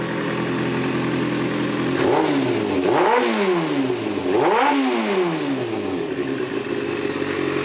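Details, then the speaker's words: Kawasaki ZZR 600 running a rebuilt replacement engine through a stainless 4-into-1 exhaust, warming up on first start: even steady idle with a few quick clean rev blips dropping straight back; engine sounds healthy. "Engine sounds good. I love this stainless 4 to1 exhaust I put on this bike."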